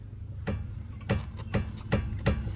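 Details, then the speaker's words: 2005 Mercedes S500 4matic (W220), front suspension levered with a wooden stick to mimic a bump: sharp hollow clunk about every half second each lever; passenger-side lower ball joint on the lower control arm worn, causing clunk over road bumps. "That's exactly what I hear. Now, what is that? Now, let's look at this up close. Now, it appears to me that it's the lower ball joint on the lower control arm."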